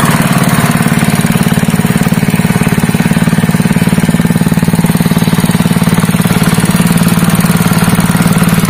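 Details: Honda GX160 5.5 hp single-cylinder engine, previously pulling as if it had no compression, runs after a valve clearance adjustment (IN 0.15 mm, EX 0.20 mm) and reassembly: a steady, even putter with no misses, knocks or valve clatter, running normally.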